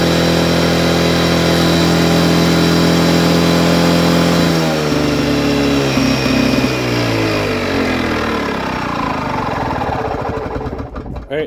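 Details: 1979 Lawn-Boy two-stroke mower, sat 20+ years, after priming and adding gas to the carburetor: buzzes along at a steady even speed, then winds down smoothly as it shuts off; runs healthy.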